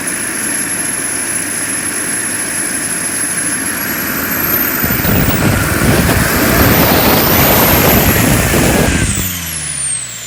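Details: JetCentral turboprop turbine on its first test start, with a temporary wrong-size propeller: a high whine climbs over an even rushing roar, then winds down cleanly; it spools and runs healthy.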